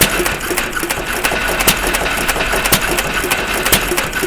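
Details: Stover CT1 1.5HP hit-and-miss engine after magneto and timing adjustments, slight rod bearing play: light regular valve-gear clicking with occasional firing pops between long coasting misses; healthy hit-and-miss running.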